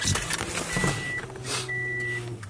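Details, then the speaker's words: 2006 Subaru WRX with fuel issues, just fitted with a new AEM fuel pump, on a cold day: key cycled repeatedly, two brief clean high whines over a low hum as the new pump primes normally after install. "Oh, listen to that pump right there. We did our job correctly, so now we can go ahead and finish up putting the rest of the interior in this car."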